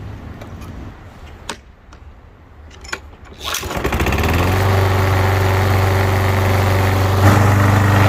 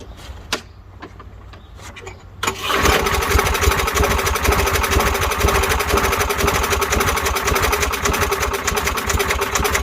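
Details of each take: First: Lawnmower after draining old gas, refilling with fresh gas and refitting the carburetor bowl: a few pulls, then the engine catches and settles into a steady, even buzz with no misses or surging; running properly. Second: Lawnmower that sometimes won't start, fresh gas added: a few quiet clicks, then engine starts and runs with an uneven, ragged beat; rough running, cause not yet found.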